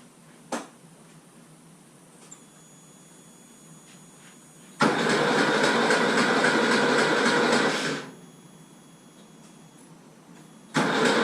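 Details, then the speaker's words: Porsche 911 engine cranked with the spark plugs removed to build oil pressure before first start. Two bursts of quick, even starter whirring with no firing or compression chuffs; oil pressure came up normally. "now i'm gonna jump in the car turn the car over hopefully get some oil pressure and if that's all good then we'll chuck the spark plugs in"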